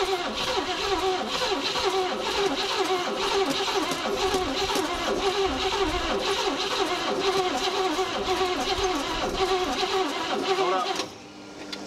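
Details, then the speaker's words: 1956 Cadillac Eldorado Seville V8, off the road about 30 years, running for the first time on gravity-fed fuel after starting spray: steady and even for about ten seconds with no knocks or misses before shutting off; sounds healthy. "well it runs huh yeah i don't know how both incorporated all right well we got it running for the first time"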